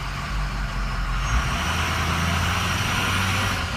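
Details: Engine idling after a clogged valve was replaced with a clean one and left unplugged so it stays closed: a steady, even low idle with a smooth rumble and no misses or hunting, back to normal with no smoke.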